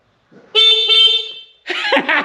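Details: Restored, previously non-running 1983 Honda XL600R dirt bike with rewired, re-crimped connections, key on: a clear, steady single-pitch honk lasting about a second, strong and unbroken; the horn sounds properly.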